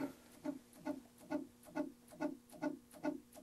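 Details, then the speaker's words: Macintosh Plus, no battery installed, powered on: soft chirp-tick repeating steadily about twice a second as the power supply tries to start and drops out, drive seeming to spin up. "I hear like the drive or something starting to power up and it's just cycling. So it's almost like there's a power supply problem where the power supply isn't starting for some reason and it's just cycling over and over and over again, trying to start up and then shutting down."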